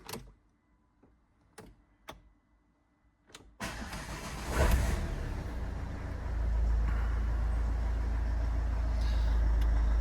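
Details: Copart non-runner unrecorded diesel car, restarted after door-module fault and engine management light cleared: a few clicks, then fires into a steady even low idle with no knock or misfire; normal start and idle.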